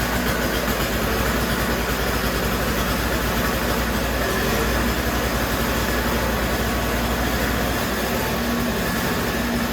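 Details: Toro CCR3000GTS single-stage snowblower, 5hp Suzuki two-stroke, on 45:1 mix of 91-octane ethanol-free fuel with stabilizer just added. It is started on choke and prime and run to circulate the fuel. Fast, even buzz at steady speed with no misses: normal running.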